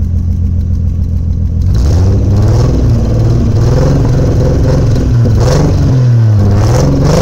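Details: Toyota 1JZ engine blips then settles into an uneven, lumpy, loping idle with rough stumble, owner says it sounds almost like a Subaru; misfire of unknown cause.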